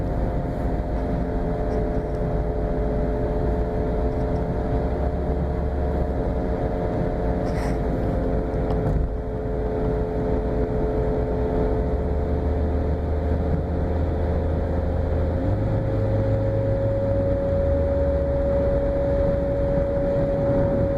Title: 2013 Nissan Sentra making strange noise.